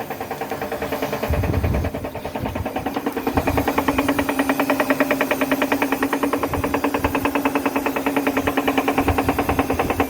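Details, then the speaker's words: Electronic Dream Blue 6.8 washing machine, empty drum at high spin: fast rattling about 2.5 beats per second over steady motor hum; tensioners and drum centring already checked, noise absent with clothes; cause not yet found. "Cuando subo las revolucies empieza a hacer ruidol, ya le revisé tensores, centrador de tambor. Igual hace lo mismo ruido."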